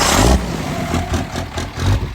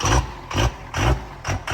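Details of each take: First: 1700 hp twin-turbo 3rd Gen Cummins drag truck after plugging the rail pressure sensor back into its standalone harness, third start: deep, even diesel pulses rising and falling cleanly on throttle blips with no misfire; much better, running healthy. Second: 1700 hp twin-turbo 3rd Gen Cummins drag truck at start-up after rebuild: heavy diesel with a lumpy surging beat about every 0.4 seconds, whole truck shaking; likely air in the system and the rail pressure sensor was unplugged.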